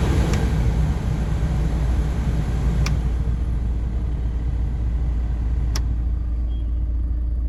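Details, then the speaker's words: VW T5 van heater blower fan on setting two after being removed and greased as a temporary fix: a steady low whoosh, no squeal anymore, though occasional catching or rattling remains; a new fan is likely needed. "so that's on two and it does sound better every now and again you will hear it um catching or rattling there's no more squeal anymore"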